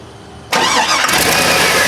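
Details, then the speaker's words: GM truck (Chevy Avalanche, roughly 2000–2007 era) starts with a loud airy hiss over idle, a vacuum leak from a small thin vacuum line popped off its fitting, causing shaking and lost power. "i'm gonna start this vehicle up i want you to listen you'll hear air sound basically a vacuum leak go ahead and start it"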